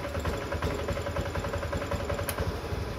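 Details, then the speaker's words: Honda Beat FI scooter stumbling at low revs with no fault code shown: uneven beat of two to three pulses a second with irregular gaps; low-rpm misfire, plug cap, plug, coil or sensor suspected, not confirmed. "bahwa Revi mengalami bad di RPM bawah mirip sama seperti motor yang ada di hadapan kita ini jadi kasusnya seperti ini"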